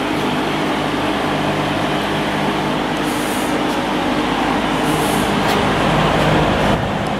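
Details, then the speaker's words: Vintage Penncrest (Lakewood) 50 box fan, 2.25 amp McMillan shaded-pole motor with winged stator, dusty and not yet cleaned or oiled, on high: steady air rush, no knocking or rubbing, 2.36 A, 185 W, 0.66 power factor; normal running. "Alright, let's go up to high speed. Came up to speed without a problem."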